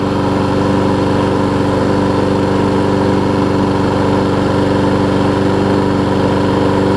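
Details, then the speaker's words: Troy-Bilt big-wheel self-propelled mower, fresh oil, sharp blade: loud steady hum at constant speed, no skipping, slipping chirp or surging; normal running. "It's not even skipping or anything like that. Fresh oil, sharp blade, all that good stuff."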